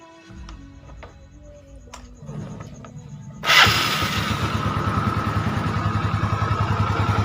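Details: Yamaha Mio Sporty automatic scooter restarted after a repair for oil consumption, with the valve seals and rings worn. After a few clicks it fires and settles into a steady, even idle with no rattle or miss.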